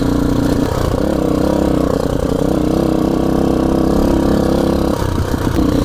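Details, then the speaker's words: Enduro dirt bike, ridden after water got into the engine, which was disassembled to drain it: a steady rough uneven rattle over the exhaust note whose source can't be located. The owner fears the already tired engine is ruined, and it also shifts gears with difficulty. "Et en fait depuis il y a un bruit comme ça que j'arrive pas à localiser la source. Donc, moi je pense que la mauvaise nouvelle c'est que le moteur il était déjà très fatigué avant et que maintenant il est flingué."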